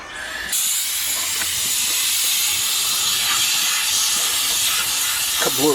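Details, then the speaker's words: Air-conditioning system found completely out of refrigerant and charged with dry nitrogen: a loud, steady high hiss of gas escaping at the compressor, whose seal has blown, with a burnt refrigerant smell; a dry condenser was installed. "compressor blow right there you can hear it see on the compressor blue let's smell it when I got here burnt refrigerant too"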